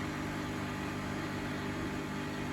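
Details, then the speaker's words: Bosch WFF1800 washing machine draining an empty 90°C cotton cycle: steady low motor hum with a faint buzzy rattle from the drain pump. "You can hear the pump rattling along with the motor there."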